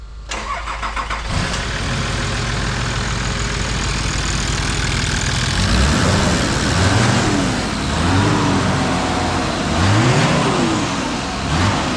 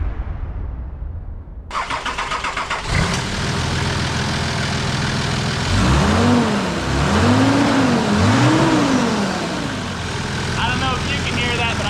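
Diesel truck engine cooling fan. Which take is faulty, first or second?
first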